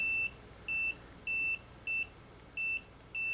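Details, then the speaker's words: Higher-quality multimeter on continuity setting: crisp, high steady beeps about a quarter second each the instant the probes touch, faster than the cheaper orange meter's lagging beep; normal continuity response. "notice something to the other meter don't lesser expensive one the orange one it had a little bit of lag time whenever I go like this it looks like you almost had to pause and wait for it to start beeping this is much faster"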